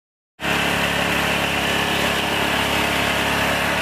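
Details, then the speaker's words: Honda GX160/200 engine driving a tractor, recently serviced: loud, steady high-revving drone that will not drop to idle, with white exhaust smoke. Caused by a damaged governor gear and worn piston rings/block. "pedal gas tetap tinggi dan tidak mau turun. Mesin ini mengeluarkan asap putih dari knalpotnya, teman-teman."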